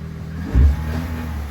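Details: Opel Agila 1.2 16v petrol at 158,695 km, running again after fuel pump reassembly: steady idle with one quick rev blip, low even rumble, no whine or knock.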